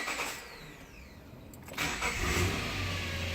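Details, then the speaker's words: 2008 Subaru Outback EZ30 flat-six, cold start: quick crank, catches and settles into a steady, even idle with no power steering whine, belt whine or squeal. "Oh, listen to that. No power steering whine."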